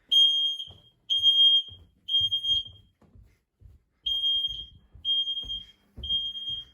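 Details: Home fire alarm system test, detector triggered with deodorant spray, checking it is heard downstairs: loud piercing high beeps about once a second with short gaps; alarm sounding clearly, normal.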